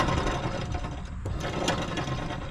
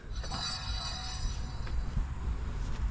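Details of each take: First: John Deere L120 mower deck spindle spun by hand with belt off gives rough gritty grinding from worn spindle bearings, unlike the smooth silent newly replaced spindle; deck had grown louder when blades engaged. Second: John Deere L120 mower deck spindle with new bearings just fitted and pulley nut torqued, spun by hand with the belt off: a soft, even whirr fading out smoothly, no grinding or clicking.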